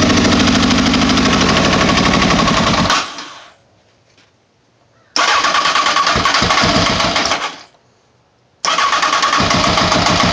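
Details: Honda CBR929 that won't start, cause unknown: three long bursts of even starter cranking, about four beats a second, with a hard knock riding each turn, and the engine never fires.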